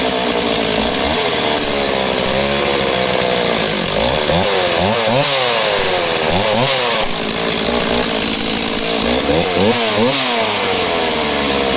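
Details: Stihl MS260 project chainsaw, two-stroke, about 48cc: buzz swoops up and down unevenly at lower revs, wandering instead of holding pitch. Strong top end; owner suspects leaning out down low. Fuel pipe and pickup look fine, cause unconfirmed.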